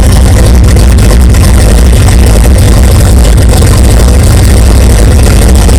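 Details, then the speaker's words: 1964 Chevelle with new 3-inch dual Flowmaster exhaust dumping in front of the axle. A deep, loud, even rumble at idle with a steady beat and no knocks or misses; a healthy V8 idle. "it sounds good I hope that didn't store really bad and sorry if you're listening in headphones but it sounds pretty good I like it"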